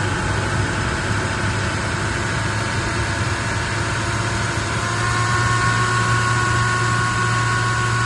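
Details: Toyota 1VD V8 diesel idling with a regular light tapping, about three to four per second, over the steady clatter; engine noise from a faulty, worn camshaft.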